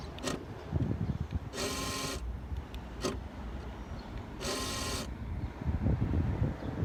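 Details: 2016 Honda Civic: fuel door lock actuator gives two short harsh grinding buzzes each time the doors are locked.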